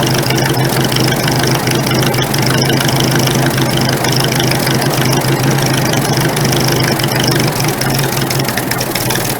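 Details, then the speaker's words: Carbureted engine with the choke partly out, after turning an unidentified carburetor screw one full turn: an uneven stumbling chug with irregular knocks, still misfiring and running like garbage. Cause unknown. "so I just turned that one full turn still running like garbage"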